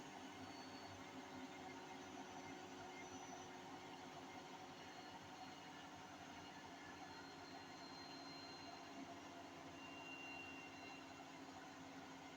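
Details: Hotpoint 8kg NSWM 843C Invermotor 1400 washing machine winding down from a 1400 rpm spin: steady, coarse, grainy roaring rumble from worn drum bearings; owner has repeatedly flagged the problem and a call to Hotpoint is planned.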